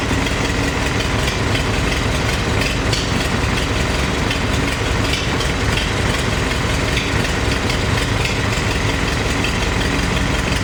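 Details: Farmall 350 diesel tractor, freshly reassembled, block warm but temperature gauge low (owner unsure if thermostat missing or bad): lumpy idle with uneven, stumbling beat, sounds like a cylinder missing, which one unconfirmed; cracking number one injector didn't change the tone; lugged in 5th it fires on all four.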